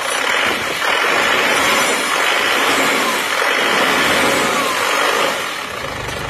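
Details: Isuzu Panther pickup diesel with the retarded injection pump timing advanced: settles into an even steady idle, no knocks or misses, very smooth.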